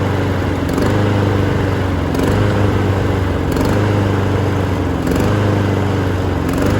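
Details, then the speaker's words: Honda HRN216VKA lawn mower being run dry on ethanol-free fuel for winterizing; steady drone swells and sags about every second and a half as the carburettor runs out of fuel, then starts to die: surging from fuel starvation. "The HRN216VKA has been a great mower for about, you can tell it's surge, and then it's starting to die."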